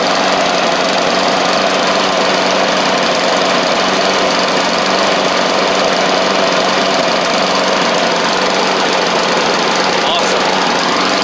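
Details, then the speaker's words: Bolens push mower, Briggs & Stratton Classic engine: steady buzzy, slightly uneven running; owner thinks water remains in the fuel and says the carb diaphragm still needs replacing. "I think we still got a little bit of water in it [Music] does need a diaphrag but hey it runs"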